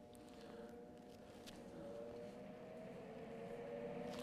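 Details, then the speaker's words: MIG welder (any brand, Eastwood MIG 175 shown): mostly shielding-gas hiss with scattered pops, missing the frying-bacon crackle, because voltage is too high and wire speed too low, causing burn-back. "you're not hearing much of that frying bacon that's because the heat on the machine or the"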